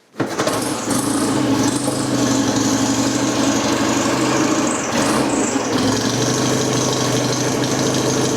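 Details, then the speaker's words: BSA Rocket Gold Star, matching numbers, being tidied for sale: fires first try and settles into an even, steady idle with no knocks or misses; a sweet, healthy engine. "the engine is running we need to install the battery and the clamp I'm just going to fire it up for you so you can hear it"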